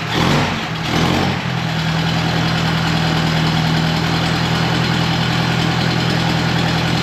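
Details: 1950s–60s "doodle bug", possibly a former golf-course or highway mower, refilled with about 2 gallons of coolant, water pump not turning, head around 180°F. Steady, even idle with a smooth low hum and no ticking; oiled rocker arms quiet. Normal idle, quiet valvetrain.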